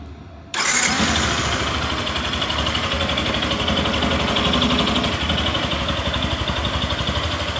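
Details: 2022 Yamaha Fazer 150 motorcycle, about 1,082 km, starting and idling: light, quick ticking about four a second; owner suspects fuel-injection noise, unsure if normal.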